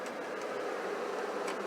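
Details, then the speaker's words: Infiniti QX56 / Nissan Armada, key on engine off: blower fan runs loud steady airy rush on high at every setting, even position 1; owner believes blower motor resistor is bad and replaces it. "The fan is on high no matter what setting I have it on."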